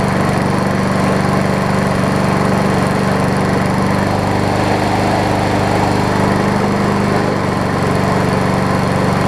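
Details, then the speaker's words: MTD push mower after a crankshaft fix, carb repair and new air filter: even, steady drone at constant speed with no misses, surging or knocking; runs good. "Put the new air filter on it, and seems to be running good."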